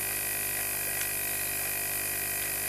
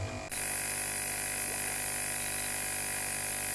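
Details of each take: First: Constant hiss and fizzing bubbling with faint pump hum from a homemade micro sewage treatment station's biological activator; the airlift pump hose came off after the activator was lowered, so air escapes freely and the water bubbles. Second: donc en fait c'est l'aérateur qui donne de l'oxygène aux bactéries aérobies qui sont responsables de traitement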